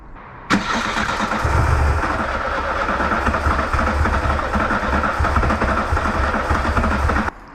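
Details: VW Mk2 Golf 16V at about 7–8 °C, won't start cold; steady cranking about three to four compression pulses a second, never catches, while fifth injector voltage is checked; fault later traced to faulty coolant temperature sender.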